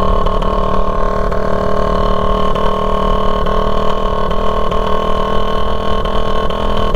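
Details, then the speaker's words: Raider 150 motorcycle at steady cruising speed on a four-lane highway after its muffler fell off; harsh, loud unmuffled drone from the bare exhaust connection. "Nagtataka po yung mga tao kung bakit ang ingay-ingay ng tambutso. Tambutso yung ingay kundi sa connection mismo."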